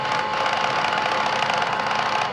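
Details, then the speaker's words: Bosch Series 2 cordless vacuum, freshly cleaned, making a rapid steady clicking over the motor hum even with the brush head removed, so the fault seems to be in the motor unit; cause unconfirmed. "But when we put on this part, and this what my wife was complaining about, which got me to take the thing apart in the first place. You hear that clicking?"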